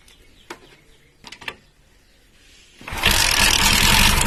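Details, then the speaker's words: Bajaj Pulsar 135 LS 4-valve engine, started on carburetor fuel without revving, timing chain loose: after handling clicks it fires and idles with loud metallic chatter from the top end, heavy timing chain rattle. "சவுண்டை பார்த்தீங்கன்னாலே தெரியும், timing chain sound ரொம்ப தான் இருக்குது."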